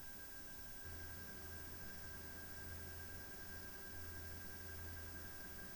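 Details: PowerColor Radeon RX 7900 GRE Fighter graphics card fans: a steady, quiet rush of air with a faint high whine and low hum and no rattle; a slight metallic sound from the cooling fans is noted as a little disappointing.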